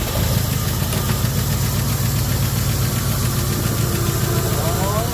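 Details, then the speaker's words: 1974 Ford F100 V8 parked 21 years, previously seized engine, running after two vacuum leaks plugged, one still open: deep idle with uneven lumpy beat that never settles; rough idle, possibly from remaining vacuum leak. "I kept off two vacuum leaks whether that's enough to help it I don't know I still got one"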